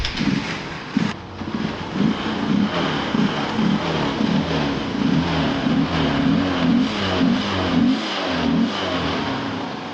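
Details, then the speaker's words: Honda Unicorn with starting trouble, missing and stalling, after replacing the carburetor with a Honda Shine one: engine fires and revs cleanly, note rising and falling smoothly with no stumble or miss; normal running. "അപ്പോൾ വണ്ടിയെല്ലാം ഓക്കെയാണ്."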